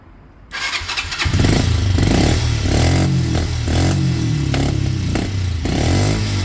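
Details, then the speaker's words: Kymco Zing 125 scooter, air filter moved closer to the opening: engine catches and settles into an uneven, surging, wavering beat; runs poorly, better with some intake restriction, owner considers carb clean and upjetting, cause not pinned down. "I can't quite work out what's going on there with restriction, but it was much better with some restriction. Let's see if that's made a difference."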